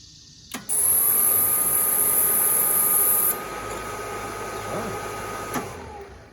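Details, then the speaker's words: Hot water pressure washer burner, after the fuel mist returned (suspected lost prime), lights and settles into a steady, even roar with a faint constant tone and no sputter; the new igniter shuts off after lighting, as it should. "There we go. That's the way it's supposed to work. And if you can hear it, the igniter actually had shut down when it didn't light, and then it shut down again after it lit."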